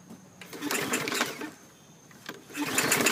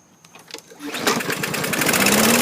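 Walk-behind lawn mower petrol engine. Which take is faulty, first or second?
first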